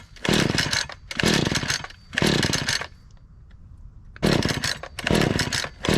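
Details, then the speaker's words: Lightly used Husqvarna 435 X-Torq chainsaw on a cold start with choke, fuel looking a little dark: five rough, second-long bursts on the pull cord, each dying at once with no catch; a no-start, possibly from the old fuel. "okay we couldn't get that lucky that's all right um I'm gonna go ahead and dump out the fuel that's in here and see how that looks"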